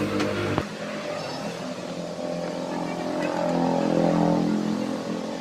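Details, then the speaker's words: Honda PCX 160 with a no-start fault, tested after reassembly: a rough, gritty drone that rises with speed as the starter-generator coil rubs the magnet rotor. The mechanic says the noise will fade with time. "nah itu bisa teman-teman dengarkan tadi ya itu timbul suara kasar seperti itu karena sepulnya tadi berlaga sama magnet ya jadi saat berputar dia mengeluarkan suara bising seperti itu"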